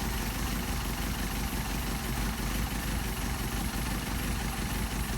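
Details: Mercedes 190SL with Solex carburetors during idle mixture screw adjustment: steady, even idle with smooth low rumble and no misses or stumbles; mixture set for best rpm, engine runs clean.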